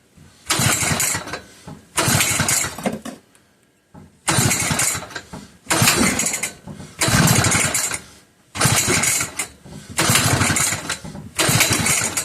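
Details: McCulloch 1-52 chainsaw, freed up with strong compression and confirmed spark, clamped in a vise: about eight rough pull-cord bursts in twelve seconds, rattling spins with no firing; won't catch, owner suspects flooding.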